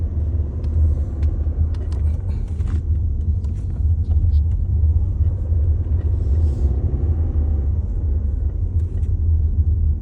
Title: 2022 Tiguan SE R-Line vibration noise when start stop activated